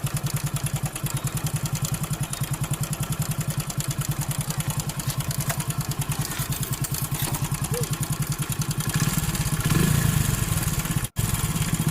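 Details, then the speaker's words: Hero Honda 100cc single-cylinder bike (Splendor/Passion type, no timing chain adjuster) idling, mic held close: fast loose metallic clatter on the exhaust beat, confirmed worn timing chain needing replacement behind magneto cover. "Okay friends, timing chain sound అంటే ఇది. మనకి ఇంజిన్లో timing chain పోయింది అనేది confirm అయింది."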